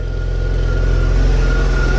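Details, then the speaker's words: BMW E36 328i after replacing crushed 3-inch catless exhaust with full stock exhaust, first start on lift, before fully warm: very quiet steady smooth idle with faint thin whine from engine bay of unknown source; normal idle. "you literally can't even hear that this thing is on let's give it a little rev"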